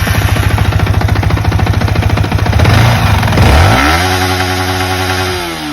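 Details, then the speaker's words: Yamaha R15 with about 24,000–25,000 on the bill and accident history, after repairs for engine/valve-tappet noise: an even, steady putter with a smooth rise and fall in revs and no tappet rattle. The noise is back to stock, like new, healthy. "So இப்போ வந்து பார்த்திங்கன்னா நம்ம வண்டி ஸ்டாக்காக நம்ம வந்து வண்டி புதுசாக வண்டி எப்படி எடுத்தோமோ அந்த நாய்ஸ் வந்துடுச்சு ஃபுல்லாகவே."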